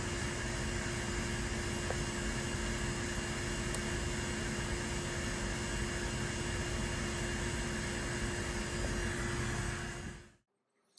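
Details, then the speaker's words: C7 Corvette Z06 intercooler bleed, vacuum pump with Cooler Bleeder about 10 minutes in, over 30 inHg and still pulling air: steady, even rushing drone with constant low hum for ten seconds, then cuts off; pump running normally. "i'm amazed at how much air it's pulling out of the system more than 30 inches of mercury and you can see when you get the 30 inch of mercury it's still pulling air out"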